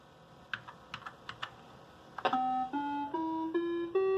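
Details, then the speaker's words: Commodore SX-64 after repair (faulty SID replaced with SwinSID Nano; previously extremely quiet sound): key clicks then clean, steady notes stepping up a musical scale from the owner's guide program; sound output normal. "well I think we can consider that a successful sound repairable"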